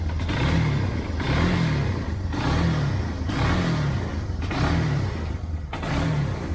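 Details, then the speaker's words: 1999 Yamaha Bear Tracker 250 ATV after fuel flush and carb cleaning, Seafoam in float bowl, choke off: engine revs up and settles about once a second, each rise clean and even with no stumble; running properly, smoke from Seafoam. "I put seafoam in the bowl, so that's what that smoke's coming from. It's just seafoam burning a little carbon off the top of the piston and let that flow through that jet hole. So I filled the bowl up with seafoam before I stuck it back up on there, just so it sucked that initial hit would pull up. So she's running."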